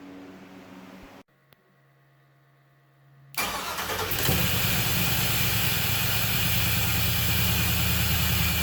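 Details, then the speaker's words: Camaro engine started with the key after rewiring to the PCM, mufflers and pipes fitted; short crank then a steady fast idle that never settles. Idle is too high; owner suspects it needs a tune. "again and with the the mufflers on there and the pipes and everything i think it sounds good i think it's going to sound really nice going down the road but i i really think it's idling way too high"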